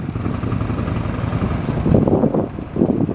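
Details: 1979 Harley-Davidson FLH Electra Glide, about 20,000 miles, after top-end rebuild with new valves and rings fixing smoking, low power and a clack on deceleration: deep loping twin rumble rising with throttle, no overrun clack; healthy.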